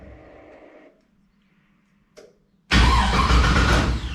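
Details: LS1 V8 swap with Holley EFI: starter spins engine with fast even churn but it never catches; cranks, no start; fuel system leaking, voltage at coils reads about 9 V during crank, suspected voltage drop.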